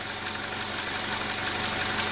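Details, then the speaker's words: 2017 Chevrolet Trax 1.4L (LUV) with code P0171 system lean: uneven, loping rough idle with a steady hiss audible and felt at the intake; vacuum leak, confirmed by vacuum gauge, part to be replaced. "we definitely definitely have a vacuum leak there you can hear it and feel it and the engine was running very rough"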